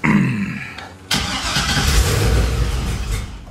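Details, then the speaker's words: 1957 Chevy cold start at about 55°F without touching the gas: short crank, sharp catch, then rough uneven revs settling unsteadily; reluctant hard cold start, owner says he's got to fix that, cause not stated. "let's fire it up it'll be a Carolina cold starter it's like it's a little chilly out there maybe 55 let's see if it'll crank without me hitting the gas don't want to does it"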